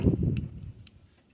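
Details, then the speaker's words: 1974 Chevrolet Custom Deluxe 3/4-ton pickup that sat for years, with the key on and the distributor rotor shaft turned by hand: sharp snaps about half a second apart show the ignition points are getting power and sparking. "I get snapping and popping. Oh yeah, you can see it. So I am getting power to the points."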